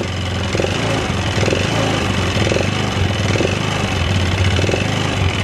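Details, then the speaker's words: Yamaha Xeon 125 carbureted scooter, hard to start, no smoke, low power: rough idle with repeating tek-tek tick about once a second; owner suspects piston/piston pin wear, not confirmed. "motornya itu nggak ngebul yo gak ngebul cuman ada suara tek tek tek"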